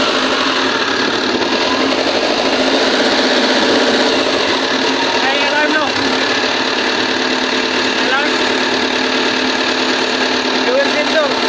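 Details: Volvo 210D excavator diesel at steady, even idle with no misses, knocks or hunting after a won't-start fault was traced to the fuel sensor and dealt with; engine now running normally.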